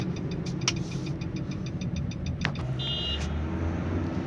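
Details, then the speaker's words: Nissan Sunny test drive at speed after a humming-noise repair: only even road rumble and low engine drone, no rising hum or growl, where hum was heard before at this speed; normal, healthy wheel bearing. "तो आप सुन सकते हैं कोई आवाज नहीं [संगीत] है थोड़ी सी रन करते हैं गाड़ी हम सही स्पीड पे पहले इतनी स्पीड प आ रही थी आवाज ओके"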